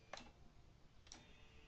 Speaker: So, and if you can hear, that's the relays clicking. So that's basically the way a relay works.